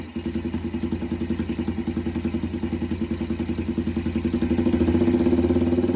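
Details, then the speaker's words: Yamaha TTR 90 after top-end rebuild, airbox off, idle turned up, choke off: small single putters at a quick steady beat, improving as the air-fuel screw is turned in; runs lean and wants more fuel, smoking a good amount. "So, it once I screwed the more I screwed the air fuel screw in, the more it liked it. So, it wanted more fuel."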